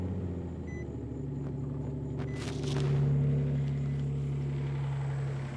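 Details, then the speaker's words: 2010 Nissan Maxima VQ35, running on a jump box, confirming the alternator as the fault; low steady idle hum, smooth even beat, faint tone rising midway, normal idle. "you see, the engine is running, so pretty much 100%, no doubt, confirmed our alternator was the issue."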